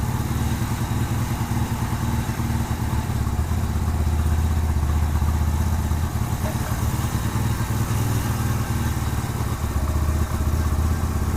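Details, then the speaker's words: 2007 Yamaha Virago 250 just fitted with a new CDI: steady thump at idle sitting a bit high and not settling; idle hanging, air-fuel mixture screw likely needs adjusting. "The idle's kind of high. Let me open the door. Maybe adjust the idle down a little bit. Sounds like the idle's hanging a little bit. I'm gonna have to adjust the air fuel mixture screw."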